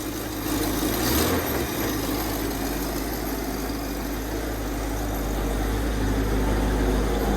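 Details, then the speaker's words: 1965 Ford Mustang coupe with swapped 289 or 302 V8 (owner suspects 289), idling just after a cold start following a week unused: smooth, steady low burble with no knocks, misses or ticks; smells of old gas. "gas yeah it doesn't sound too bad back here either"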